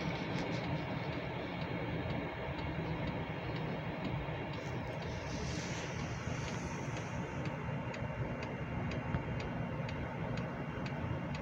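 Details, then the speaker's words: Hcalory 8K all-in-one diesel heater on a 12V 30A supply fed by a Baseus 420W power station, turned up to 33°C: fan and dosing pump ramping up, draw rising from 26 to 55 W; quiet even ticks about twice a second over soft fan rush, normal dosing pump metering. "now the Fan's ramping up dosing pump is ramping up and we're going back up in [Music] wattage"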